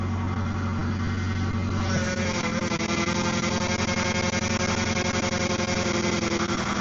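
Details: Car starting after fresh power steering fluid was added: catches and settles into a steady, even idle with no whine or groan from the pump.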